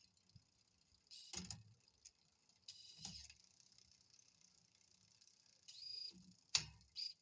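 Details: L-Twoo Ae wireless-to-cable rear derailleur shifter on a 9-speed cassette, run on the app's 10-speed setting, after adjusting each gear: short whirring servo bursts with light clicks, each shift quick and clean; working properly.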